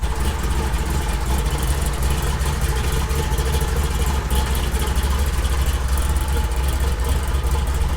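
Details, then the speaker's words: 1972 Chevy K20 on a 6-inch lift with 38s, built 510 big-block V8 in the truck about 11 years, hand-started past a broken starter: deep, heavy idle with a hard lope of about 1.5 chops a second. Choppy cammed idle. "thing sounds mean it chops really hard it's a 5-10 big-block it's pretty much a built motor"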